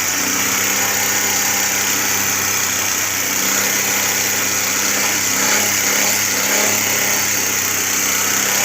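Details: Carbureted Suzuki Cultus with past misfire/stalling when hot, after CDI and Japanese ignition coil replaced, warmed three to four minutes: smooth constant idle holding steady without misses or hunting; healthy running.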